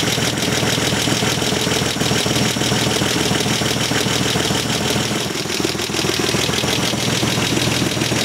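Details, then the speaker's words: 43-year-old TVR 3000M, hot engine at idle with oil pressure about 2.5 kg rising to 4.5 with revs: quick, light ticking that follows the revs, loudest at cylinder 3. Excess valve clearance needs adjusting; an exhaust leak is also heard. "all make a little bit of noise, but especially valve for cylinder number 3 makes most of the noise. So that needs to be fixed."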